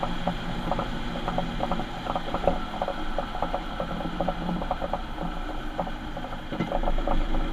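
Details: Ford Transit van: rough mechanical ratcheting and gear chatter about four times a second under a low drone; worn rear differential.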